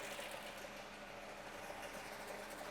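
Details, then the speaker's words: Small four-cylinder petrol engine that is hard to start: a fast, light metallic clatter rattling steadily from inside the engine while running, a worn timing chain; an earlier oil change did not fix it. "so I'll quickly start this up it might be a Heroes so it's hard to start and there's a awful rattling noise from inside the engine beer that is basically a timing chain"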